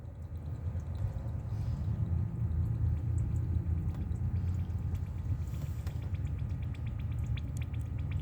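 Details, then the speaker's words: Ford Focus with OSC 2743 radiator, engine running while bleeding the cooling system: a low hum under rapid watery patter and gurgle as trapped air is pushed out the radiator top; the trapped air had caused code P0128. "Can you hear it pushing that air out that radio? That's the top. Okay. That's how you bleed the air out the radiator."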